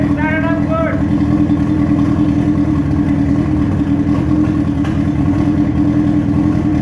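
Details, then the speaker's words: Dune buggy with motorcycle engine, first start-up after rewiring with an added relay for switch and fans, dashboard wiring still unfinished; loud, steady hum holding a constant note with no misses or knocks; running cleanly. "so finally guys now let's just fire it up and see everything is working or not perfectly"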